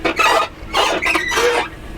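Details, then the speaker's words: 2004 Lexus RX 330 door swinging open: three high, wavering squeals sliding in pitch; dry hinges that have never been lubed. "That door squeak."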